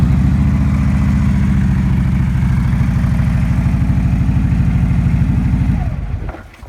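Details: 2009 Harley-Davidson Road King, final start check after a starter clutch replacement for a horrible starter noise, all reassembled. Catches and runs with an even potato-potato lope, no grinding or clatter before shutdown: starter engaging cleanly.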